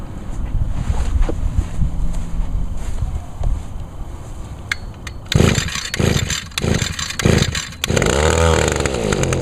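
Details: Older Echo SRM 2201 trimmer, 21.2cc two-stroke, started on choke with primer bulb under the carburetor. Buzzes unevenly at first, then catches and holds a steady, crisp high-pitched run: normal running, stayed running this time.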